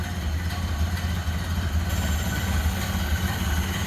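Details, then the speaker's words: 1928 Ford Model A with a 201 cubic inch water-cooled L-head inline four, heard idling from the rear: a slow, even, low putter with a steady beat and no misses or knocks. Normal idle. "Listen how smooth that runs. And just how you'd expect a Model A to sound. Listen to that purr. Idle's great."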